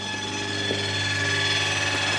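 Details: Land Rover Freelander 2 headlight beam-levelling motor on new projector headlight with Philips Ultinon LED bulb, which had been blowing the fuse: steady thin electric hum at one even pitch, driving smoothly without binding, bulb clearance ample; normal, owner suspects mechanism needed lubricating.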